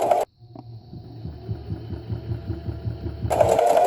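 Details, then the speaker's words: Singer sewing machine sewing a straight stitch at slow speed with slightly more foot pedal pressure; even stitching ticks at about four per second over a light motor hum; normal. "and it will sew. And that is slow."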